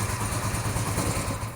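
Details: 1982-83 Honda V45 Sabre cafe racer after carb fix (float bowls set far too high, starving fuel), fuel screws 2 3/4 turns, on choke: quick, even cold idle, all 4 cylinders now firing, slightly rough until warm.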